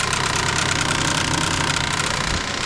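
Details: Pontiac Vibe electric radiator cooling fan in winter, about 19 degrees: a fast, steady rattling tick over the fan's whir with no engine rhythm behind it. The fan itself is knocking and is being replaced.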